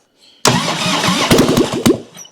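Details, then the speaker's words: 1997 Harley-Davidson Heritage Softail Springer, sitting since 2002, no exhaust fitted, fed starting fluid before adding gas: fires with loud uneven pops for under two seconds then dies; brief firing on starting fluid. "Before we put gas in and it goes all over everything. Let's try it. See what we got. You should just hear a burp."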